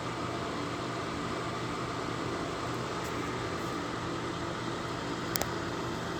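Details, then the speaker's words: Lasko 1500 W, 12.5 A plug-in electric fan heater with thermostat, intake at top, hot air out bottom, on concrete block over gray rug; steady even whoosh with faint motor hum, no rattles or ticks: normal operation. "So that sucks the colder in the top, throws a hot air down the bottom, and we got a gray rug on the bottom here, so that way the concrete block doesn't scratch the floor."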